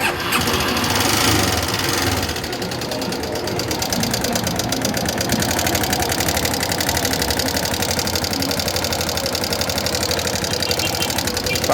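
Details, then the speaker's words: 2008 Yamaha Fazer 250 motorcycle, also hard to start: rough idle with a fast, uneven metallic ticking and rattle from the top end, about four per second; possibly a camshaft problem, not yet confirmed. "não dá nem para saber bem Da onde tá vindo porque é um barulho parece que são várias coisas aí parece problema pode ser comando de válvula"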